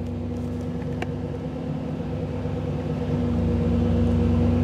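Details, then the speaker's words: 1985 Chevrolet Camaro IROC-Z TPI, new engine build, in neutral with Actron CP9690 OBD-I scan tool connected: steady raised idle with even exhaust drone and occasional faint stumble; tool advances timing causing elevated idle and random misfire, drops when unplugged. "i couldn't get the idle down it kept running fast like this and if you go back and listen to the exhaust the the timing is also increased and the timing is high enough that you start getting some random misfire in neutral"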